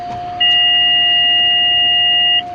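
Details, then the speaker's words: Avionics powering up: a steady beep for about two seconds over a constant avionics tone, then it stops; the autopilot's normal self-test. "that's the autopilot doing it self-test"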